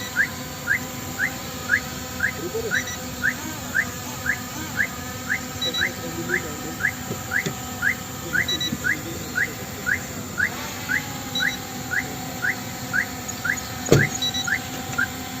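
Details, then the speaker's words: Hovering M3 Max camera drone: short high beeps about twice a second over steady motor hum, the continuous warning that its battery is nearly empty. "Battery है अपनी होने वाली है खत्म देख सकते हो इसमें बीप की आवाज आ रही है ठीक है एंड कंटीन्यूअस आ रही है तो इसकी जो बैटरी है वो खत्म होने वाली है"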